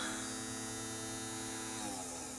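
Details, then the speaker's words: Aiwa M110 multi-system PAL/NTSC converting VCR, brought in dead with tape stuck, first bench power-up after new caps fitted; steady electrical hum with faint high whine, tone shifting slightly near the end; normal power-up, belt suspected broken. "okay the moment of truth power okay well that's a good sign it turns on"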